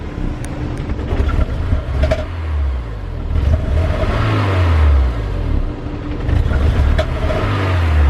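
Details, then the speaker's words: Honda customer car, previous shop and dealership failed to fix it: engine revs up and falls back unevenly with a lumpy exhaust note under each blip; running rough, cause not yet found. "and there it is runs terrible you can hear it from me just do this again [Music] listen to the exhaust"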